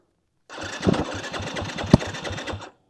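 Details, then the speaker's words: 2022 Yamaha WR250F, warm, stalled 5 miles into a ride after small backfires and usually hard to restart warm: starter churning at about eight compression pulses a second, tried in neutral with a little throttle, never firing. "oh it's not [ __ ] firing at all I'm up in the middle of [ __ ] nowhere and my bike's not firing"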